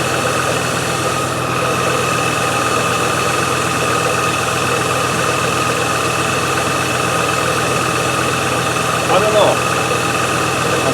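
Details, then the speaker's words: Range Rover V8 after fuel repair: idling slightly high and uneven with thin steady hiss; misfire, owner hears air entering intake somewhere and suspects a vacuum leak, unconfirmed, after blanking off holes. "but it has got a misfire i've started to blank off holes and things like that but i can hear air feeling intake somewhere and i don't know what it is"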